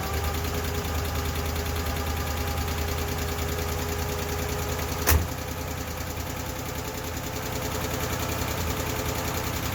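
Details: Ford LTD after lifter inspection and timing adjustment, fired right up on its own battery without priming the carb, no longer smoking: light quick ticking keeping pace with idle over a steady rumble; valvetrain tapping, milder than the earlier clacking from bad lash and lifters.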